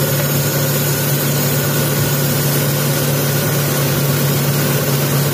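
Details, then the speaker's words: Taruna EFI that came in hesitating and lacking power, during a tune-up: after the idle screw was adjusted, the idle is smooth and steady with no hunting, no longer shaky as before. Normal idle. "Oke, mulai kecil, mulai bagus, mulai bagus."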